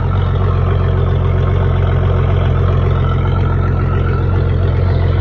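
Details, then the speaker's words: Yamaha 200/225/250 SHO outboard idling on a backflush attachment after an oil change, just started: deep, even idle with a steady low pulse of roughly 220 beats a minute, no knocks or misses; healthy running. "Good God Almighty, y'all hear that? Oh, you talk about get a man excited. Listen to that beast."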